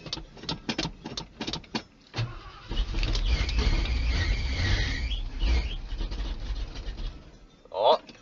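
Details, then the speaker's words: 1980 Ford F150 with 351M and factory 2-barrel carb, cold start in winter with choke disconnected: cranks with quick clicks, catches, then cold, lumpy idle that surges and sags; rough cold running without choke. "Oh, she's a little cold-hearted, eh? It's got the choke unhooked."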